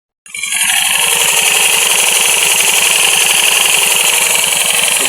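Loud, harsh rattling clatter riding on a steady idle, about four beats a second; worn, loose flywheel damper rubbers.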